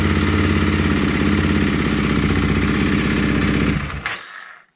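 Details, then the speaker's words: Honda CRF300 Rally at idle after replacing the cam chain, tensioner and follower, with new oil and coolant (earlier noise came when hot on overrun at low revs; valve clearances were fine): even steady tick-over, no top-end clatter, shuts off cleanly; sounds fine, ride untested. "It sounds fine, but I won't know until I ride it, which I hopefully will do this afternoon."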